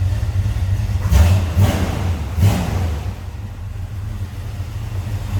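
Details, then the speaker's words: 1967 Chevrolet Camaro Convertible with mild cam running: deep even rumble, three quick throttle blips rising and settling cleanly; starts easily, smooth healthy running. "Good sounding car. See how easily it started."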